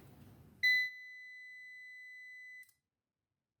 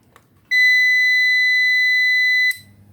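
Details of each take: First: 700 W UPS with a 24 V battery system: two long, steady, high-pitched beeps of about two and four seconds, the overcurrent (OC) alarm, caused here by a broken transformer. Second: Grand Power Backup UPS, about 700 W with 24 V battery system, being tested; single steady high beep lasting about two seconds at switch-on, then quiet hum; the UPS powers up normally.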